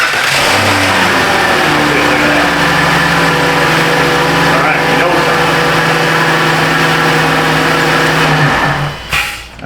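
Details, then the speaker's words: 2013 Dodge Grand Caravan with a no-crank complaint after another shop replaced the starter; when forced into crank it starts and runs with a steady even drone and clean tone, then shuts off; starter side good; normal running. "We learned that when the computer thinks it's supposed to be cranking, and we actually do crank it, it does start."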